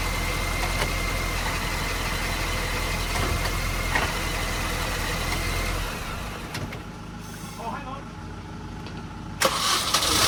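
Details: Supercharged MINI project that cranked but wouldn't start, after reseating the crank sensor that wasn't flush: engine fires and settles into a steady, even idle with no misses or stumbling before dying away; now starts and runs properly; normal idle.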